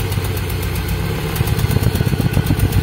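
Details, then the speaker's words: Toyota Soluna listened to at the exhaust, with the engine limping and stuttering when revved. The exhaust puffs about 160 a minute, unevenly, a limping blub-blub with missed beats; a misfire from faulty spark plug wires, which are replaced. "oke suaranya itu e blub blub blub kayak apa ya kayak pincang gitu ya Ini untuk suara knalpotnya juga"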